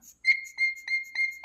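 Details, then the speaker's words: Vintage Hot Wheels R1NX gas go-kart, sat about 10 years, after cleaning the primer bulb's one-way valve: high thin whistle with each bulb squeeze, about four squeezes a second; fuel now flowing normally. "Hear that? All right, that means it's flowing."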